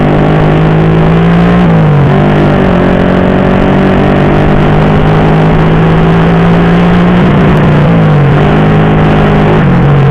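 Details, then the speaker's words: Honda Supra Fit with a newly fitted PE24 carb (replacing a PE28), accelerating on the road: strong low down, but revs sag and stumble repeatedly through mid-high range. Carb setting or ignition suspected, not confirmed. "Bro, you can see that, for medium to high rpm, when we try to accelerate, there is a serious crash, well, there are other factors, Bro, not just the carburetor part, the ignition part could also have an effect"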